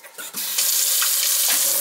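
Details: Kitchen faucet that had vibrated and made noise, after the faulty sprayer was replaced with a matching one: steady, even water hiss with no buzzing or vibration; the sprayer alone was the cause.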